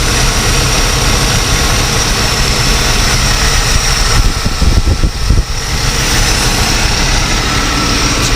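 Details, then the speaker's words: Continental Mark III big V8, carbureted, fires right up and idles with a deep, steady rumble after 32 years sitting, with one brief uneven patch; good oil pressure, slight power steering pump whine, fluid seemingly a little low. "She fires right up."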